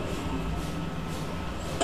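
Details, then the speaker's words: Motorcycle with a seized piston forced free without replacing the damaged piston or cylinder: low, uneven, rumbling running with no clean beat; rough running from a scored piston and cylinder. "nah ini motor sudah hidup tapi dari segi suara ini ini agak kasar ada kasar ya maklumah masalahnya seer sama silinder kan jadi satu"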